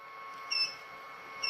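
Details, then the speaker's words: Power distribution unit demo: two short high-pitched beeps over a faint electrical hum, an over-current warning because the heat-source load exceeded the set 2 A threshold. "we can hear it beeping because it has exceeded the two amps threshold we set for the warning signal"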